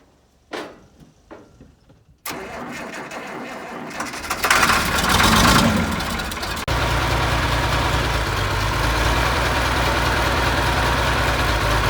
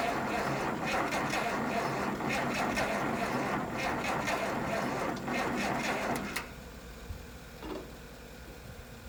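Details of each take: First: 1972 Massey Ferguson 1100 diesel tractor, 94 hp, long-abandoned and sitting, started with starting fluid: short cranking bursts, then it catches, revs up and settles to an even, steady idle with no misses; normal start and idle. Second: Long-sitting 1972 Massey Ferguson 1100, 94 hp, jump-started from a Chevy: slow, laboured cranking at about four turns a second for six seconds that never catches; weak cranking suspected, block heater and battery charging planned next.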